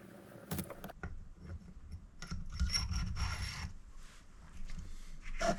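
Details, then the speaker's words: Final valve lapping with fine paste after coarse grinding; soft, uneven rasping strokes in short bursts, with a noticeably different sound from the coarse stage; the result is a smooth matte seat and valve face. "You can feel the difference with your fingers actually. Now you hear a difference in the noise as it starts as well when I start grinding it."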